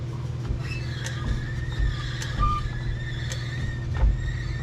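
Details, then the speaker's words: 1980 Chevy C10, heard from under the truck near the front of the driveline: sharp single click about once a second over a low driveline hum, evenly spaced as the shaft turns; not from the U-joints, source unknown. "So back here, or up here, I guess I should say, I'm hearing a clicking noise, and it's driving me nuts. And I don't know what it is."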